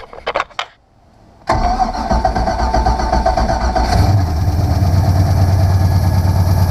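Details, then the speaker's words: 1997 Supra Vision ski boat, PCM 5.7 L 350 marine V8, after the oil sending unit was replaced and starter and solenoid rebuilt: a few clicks, short pause, then it catches at once into a deep steady burble; healthy start and idle. "so I'm going to grab the key to this thing and see if I can fire it up for you guys real quick"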